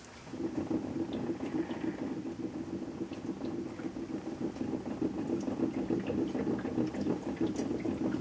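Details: 2011 Honda Insight hybrid on a full tank: rattling rumble from the fuel tank area under the car, beyond the fuel sloshing; fades as the level drops a couple of gallons; owner suspects the fuel level float bumping something inside the tank.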